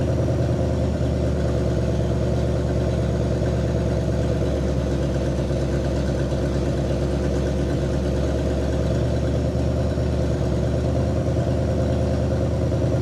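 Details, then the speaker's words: 1960 Pontiac Catalina 389 V8 sat since 1985, after points dwell adjustment to about 40° (target 30°): deep, even idle holding a steady beat, quieter and slightly higher, no misses or stumbles. "it really Smooths out at like 40° so I'm just going to leave it alone it did did quiet up the idle did uh kick up a little bit as well it smooth itself out"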